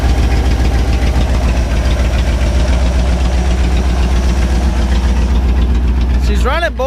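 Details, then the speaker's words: 1967 Chevy C10 truck's 327 V8 (11,200 miles) on first start after 33 years parked, timing and idle adjusted; deep, loud, steady unmuffled idle with even low rumble and no knocks, no exhaust fitted; normal idle. "nothing's on fire the guy no exhaust so sounds a little loud"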